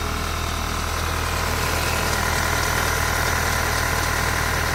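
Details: 2012 VW Mk6 GTI petrol at idle: uneven stumble about three times a second, misfire usually on cylinder 3, cam too advanced/retarded code; injectors, coils, plugs and cam position sensor already replaced.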